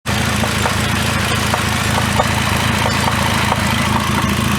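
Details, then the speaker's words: 2009 Cadillac CTS 3.6L LY7 V6 RWD with 6L50E transmission idling: light, uneven knock about 1.5 per second, loudest at the transmission inspection cover; flexplate failure, the flexplate perimeter possibly separated from the plate. "i think the uh the perimeter this becomes separated from the plate"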